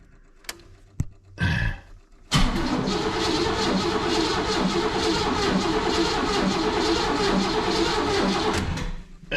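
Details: Oldsmobile wrecked 26 years ago, first crank with the original distributor and carburetor refitted: steady, even cranking at three to four beats a second for seven seconds. It turns over freely but never catches, a crank-no-start with no fuel.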